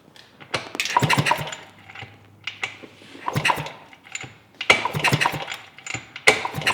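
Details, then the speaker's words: 1971 Yamaha AT-1 dirt bike that had not run in over a year, kick-started repeatedly during a spark check. Cranking bursts with no firing at all; no spark because the ignition switch was wired backwards after the key went missing. "okay well I'm kind of dumb and I forgot that they wired the ignition backwards because the key went missing and the wiring is mess on the spike so they wired the ignition switch backwards"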